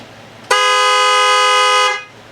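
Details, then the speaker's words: LS-swapped Foxbody Mustang when power first applied during startup prep; horn blares at one steady unbroken pitch without letup; horn relay stuck on. "something happened to my to my horn I don't know what that was weird for whatever the reason my relay was stuck on guys"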